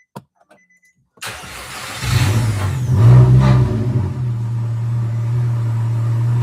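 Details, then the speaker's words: Nissan Altima after repair of rodent-chewed coil pack wiring: cranks and catches cleanly, short rev, steady even idle with no misfire; exhaust rattle noted. "Sounds pretty good. No misfire. Nice."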